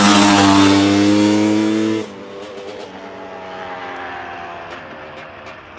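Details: 1985 Honda CR250 two-stroke after engine rebuild for low compression (honed barrel, new piston, crank seals), ridden up the road: crisp rise through the revs with a clear buzzing exhaust, then backing off and fading; pulls evenly, healthy.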